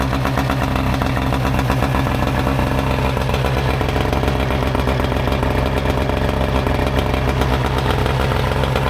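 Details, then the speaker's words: Mercury 115 outboard running on flush muffs after fixing a fuel leak that made it rev high and adjusting the linkages: smooth, constant buzzy drone with no stumbles or rattles; normal running. "Thing runs good."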